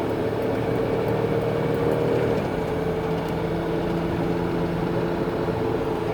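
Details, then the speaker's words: 2000 Chrysler Town & Country wheelchair van, 63k miles, accelerating at highway speed toward 70 mph: smooth engine drone under road noise, pitch stepping down cleanly at the shift a couple of seconds in; runs strong. "I want to give them some gas so you can see them accelerate. So you can hear the engine run strong, hear the transmission shift."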